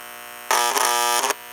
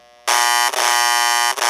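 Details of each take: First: Steady electrical buzz from a toy 326 Hudson locomotive's air chime horn speaker on track power, suspected to be from a failing capacitor letting voltage through the voice coil; before replacing the capacitor. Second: Hudson 326 air chime horn after final repairs, horn generator with new replacement capacitor greatly reducing background buzzing; two loud steady buzzy blasts with rich chord of tones, just as loud as before, normal horn sound.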